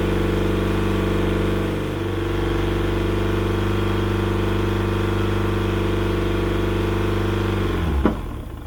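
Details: Yamaha outboard on a 1980/81 Sun Tracker Party Barge pontoon, at spring startup after years unused, before carburetor flushing: steady, even idle with no misses for several seconds before shutoff; whatever was troubling it appears to have passed through.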